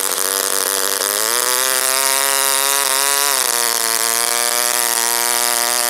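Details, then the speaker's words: OS Wankel rotary, 4th tank, on 5% Omega fuel with extra castor, a 10x4 APC prop, a crimped brass header and the needle about 2–2.5 turns open: high buzz climbs, wavers and drops away. Leaning made it die, though the manual calls an rpm sag rich. "okay so one of the instruction manuals I read so that if it rpm decreases like that and it stops that it's too rich but as soon as I leaned it it died so go figure"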